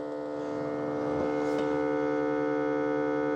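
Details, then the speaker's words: Ecovacs Deebot T80 Omni robot vacuum dock, new unit: after the dock's water pump, which had failed out of the box, needed priming, a steady even hum with a faint pulse about four per second; pump now working normally. "I think that's the water pump working [music] now."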